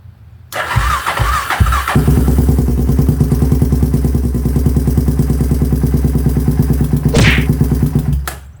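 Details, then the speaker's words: 2007 Polaris Predator 500 four-stroke quad, first start after sitting years in pieces, cracked parts found, guesstimated jets in carb: after cranking thumps it catches and runs roughly with an uneven beat; sounds bad, suspected needs jetting. "all right it runs it sounds kind of shitty in my opinion i don't know we'll have to see it definitely needs to be jetted"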